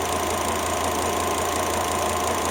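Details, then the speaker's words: Volvo XC90 T5 five-cylinder at idle after a failed ignition coil was replaced with an aftermarket coil, curing the misfire: a steady, even, smooth hum with no stumbles, all cylinders firing normally. "All the difference in the world. It sounds like that normally. The 5-cylinder."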